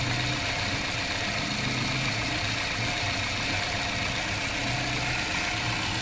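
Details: 2004-2005 Toyota Premio petrol engine at idle: uneven, stumbling low thump under a steady hiss from a misfire.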